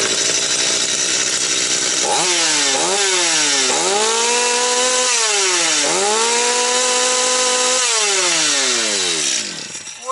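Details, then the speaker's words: Stihl MS 250 chainsaw, about two years old, after repair of no-start: revs snap up to a clean high scream and drop back several times, freely and evenly with no stumble; healthy, ready to return to owner. "все друзі що тут говорити тепер я спокійним серцем можу віддати людині цю пилу і нехай собі людина працює тішиться ріже дрова"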